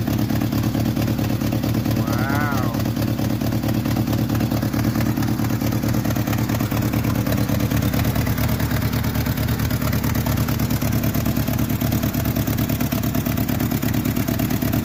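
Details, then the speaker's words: 1986 Jeep Comanche 2.5L four-cylinder (4-speed, 4WD) run with the valve cover removed after lifter work: an uneven, lumpy idle of about two pulses a second over a low rumble. It runs rough, worse than usual. "wow it sounds like it's running even worse than it normally does huh"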